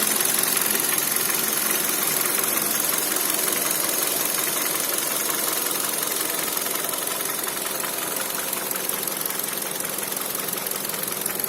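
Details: Kia Cerato 1.6 at idle: steady, evenly spaced metallic ticking about three beats a second over smooth idle; internal engine knock, owner unsure whether timing chain or pistons.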